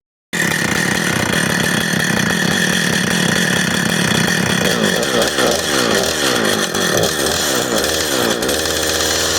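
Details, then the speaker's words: Husqvarna 455 Rancher chainsaw, repaired after being run over, new plug, aftermarket air filter, fuel line and filter, carburetor not yet tuned; at high revs it burbles and stutters and smokes heavily, four-stroking through the power band from an over-rich carburetor. "it sounds like she's getting way too much fuel all the way through the power band so which i didn't really uh hit full rpm with it but it sounds like it's four stroking all the way up and she shouldn't be doing that"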